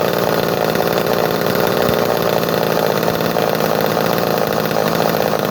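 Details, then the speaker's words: Early 245A chainsaw in mint condition, monthly cold start after about a month unused, little gas in tank: catches and holds a steady, even high-pitched buzz with no stumbling or misses; runs clean, normal. "But she never lets me down, man. This saw, every time I take it out and fire it up, she goes."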